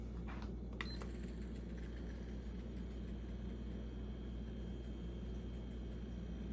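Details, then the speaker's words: Home Essentials HE168RC stand fan on its highest setting after oiling the bone-dry shaft to fix a squeak: a soft, steady hum with no squeak or rub; normal running. "I fixed it just by oiling that part. Yes! Oh, that's a relief. That's the highest setting."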